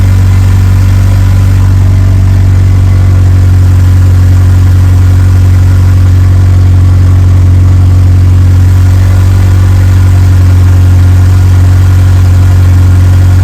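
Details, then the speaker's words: Evo 8 4G engine in an Evo 6 after fitting a lifter to remove play, cold start then warmed up: loud steady low hum at even idle, no ticking or knocking; sounds like a normal 4G. "all right well it's not making any noises um warmed up sounds like a normal 4G"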